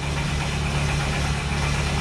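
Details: 2008 Mercedes Sprinter with a no-start problem, cranked on a jump pack. A steady, rapid cranking drone with a few uneven firing thumps; it is building compression and almost catches, but doesn't start.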